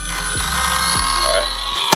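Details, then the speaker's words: Datsun 1200 fitted with an Astra electric power steering pump, being bled after a fluid top-up. Steady, gritty high whine until power is cut; the pump sucked all the fluid through and is drawing air from the low reservoir. "All right, so that freaked me out. Pulled the power off because it sucked all the oil through."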